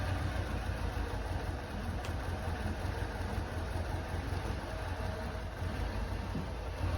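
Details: Lancia Delta HF Integrale, unstarted over six years, after new fuel pump, four replacement injectors and fresh high-octane fuel, now warmed up: low, even rumble at steady idle without misses or hunting; running much better.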